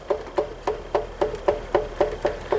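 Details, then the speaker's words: 12-inch Ambassador (Lasko/Galaxy) oscillating table fan after cleaning and service, coasting down after switch-off: regular metallic knock about four a second as the shaft hits the back; worn thrust washer, needs replacing. "a shaft hitting in the back. That washer probably is on its way out. That may eventually cause some noise during operation too."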